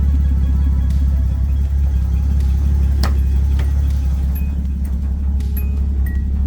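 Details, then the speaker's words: Datsun 280ZX Turbo L28ET warming up after a front strut brace install: deep, uneven loping idle at about three beats a second, RPM dropped from 750 to about 500 (normally 650–750); idle too low. "okay so the car is warming up and I noticed the RPMs did drop a little bit it went from 750 to about 500 you can hear it loping or you hear"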